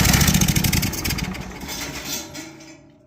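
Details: Cummins Onan Marquis Gold 5500-watt RV generator, sitting about 20 years, cranked from a nearly dead jump pack: sluggish uneven chugging fades within three seconds without catching; owner believes blinking code means low voltage.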